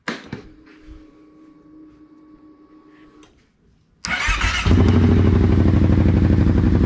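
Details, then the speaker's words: Kawasaki Brute Force 750 ATV after removing stock muffler and fitting BigGun Evo exhaust, no tuner installed: engine fires up into a deep steady even burble at idle, loud but clean with no knocks or misses. "that's got some noise to it"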